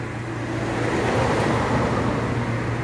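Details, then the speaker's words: 2018 Fiat Argo 1.8 HGT, in the shop for a suspension noise and an inaccurate fuel gauge: low, steady exhaust rumble at an even pace with no rattles, misses or leaks heard; healthy exhaust note. "escapamento do bicho em aí aqui ó show de bola né"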